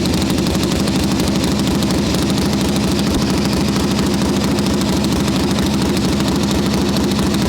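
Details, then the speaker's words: 1981 Harley XLH Sportster Ironhead chopper, first start on freshly built engine: loping V-twin idle, even potato-potato beat about three pulses a second, no knocking; healthy, though oil return flow to tank is slower than desired. "Okay. I don't want to run it too long because that's the first start on a brand new motor, but she's running. Sounds happy."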